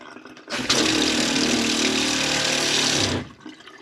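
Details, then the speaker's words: Franklin CX22 caravan diaphragm water pump after disassembly, cleaning and bleeding, previously pulsing constantly: steady buzz with water rushing, even and unbroken, slight vibration from unsecured pipework; normal pump running. "okay so the pump's all back together i've bled the water system and she's working fine now"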